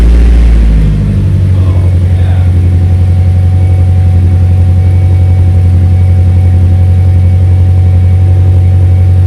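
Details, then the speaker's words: Cold start with the freshly welded exhaust: loud, deep, steady exhaust drone settling after the start, even pulses and no ticking puffs; leak now sealed, still loud but better, running normally. "better still loud AF but better that sounds like a proper chainsaw I think we're back in Action"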